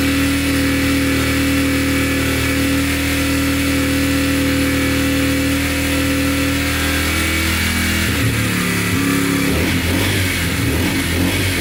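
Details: Yamaha TTR125 dirt bike (believed 2003) after top and bottom end rebuild, following running out of oil; revving on the stand, steady low thrum rising and falling evenly, no ticking; runs and sounds really good.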